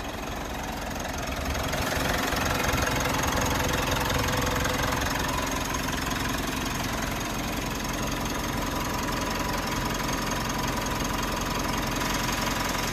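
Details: 3rd-gen Mitsubishi Montero/Pajero Sport diesel started after about two months sitting in quarantine; battery reads 14.1, key fob battery low. Even, steady diesel clatter at a settled idle with no misses, knocks or hunting: normal idle.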